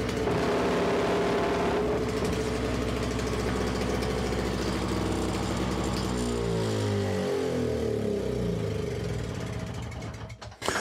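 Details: Simplicity 520 single-stage snowblower after electric starter, cable and recoil repair: steady busy engine note holds full speed while the engaged auger drags on the floor and after release, then winds down; healthy under load.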